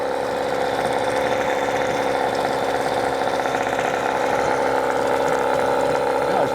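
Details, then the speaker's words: New Hangkai 18hp two-stroke outboard running in a water bucket, just started, telltale flowing: steady, even buzzing idle at constant pitch with no knocks, misses or surges. Normal idle. "just want to check for any kind of leaks, oil leaks, fuel leaks. water leaks, anything. It sounds pretty good."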